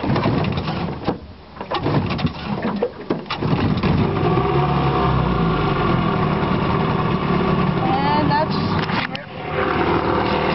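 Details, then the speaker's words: 1977 Mercury 20 hp outboard on boat, after choke start: steady, even putter at idle, no misses, with wind and water noise; normal idle. "so yeah that's the mark 20 horse running and and future I will have more videos of it running"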